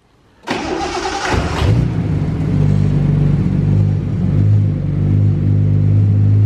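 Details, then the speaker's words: Datsun 280ZX turbo L28E six on new Haltech 550 ECU, first start: brief cranking, catches quickly, settles into a smooth, deep, steady idle held a bit high; quiet, deep six-cylinder exhaust, runs cleanly, idle to be turned down. "yeah she's idling high now so we turned the idle up a lot before because it wouldn't idle super well and now that it's idling well we can turn the idle back down"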